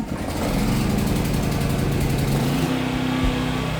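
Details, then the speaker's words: Philking PK200A 5,000 W inverter welding generator started with the switch on, choke set and a recoil pull: the small engine catches, buzzes up and settles into a steady, even run with no knocks or misses. "Tara, i-start natin yung ating generator. So same process, i-on muna natin ito, and then i-choke, at ihilahin natin yung recoil starter."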